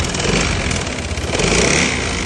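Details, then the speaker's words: Honda ADV 160 scooter at 1,019 km, idling with a harsh, jackhammer-like clatter from the engine; a seized piston is suspected and the engine is being disassembled to confirm the diagnosis. "Tá parecendo, galera, barulho de pistão fundido, mas como a moto tem 1000 km, a gente vai ter que desmontar para ter o diagnóstico exato."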